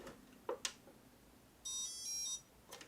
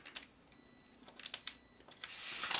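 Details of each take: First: Cutra CtrlAX ultrasonic cutter (40,000 vibrations per second, three power levels, continuous mode), switched on after connecting. A couple of handling clicks, then one clear high beep under a second: normal power-on signal. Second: CtrlAX ultrasonic cutter (40,000 vibrations per second) fitted with a saw blade for cutting board. Two short, high beeps about a second apart: warning that the blade screw is not tightened enough into its groove.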